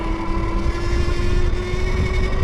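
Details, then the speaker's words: Wallke H9 AWD dual-motor e-bike on a hill climb: steady high yelling tone over motor hum under load; a quick thumb or twist throttle blip silences it; cause not pinned down; motor squawk under load. "and it'll start yelling at you. Just give it a quick throttle, thumb throttle or twist, whichever you have. Let loose, and it'll shut up, and it'll work like it's supposed to."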